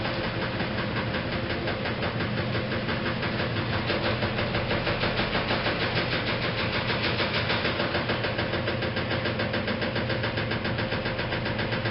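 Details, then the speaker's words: 1956 Whirlpool Imperial automatic washer, restored, in spin: steady hum with a quick even knock about three times a second from the rear motor access plate that was never refitted properly. It does not affect operation. "in case you're wondering why I'm not too worried about that knocking the sound that you hear that is actually the rear plate of the machine that says I never managed to get the motor access plate fitted back on properly from this machine"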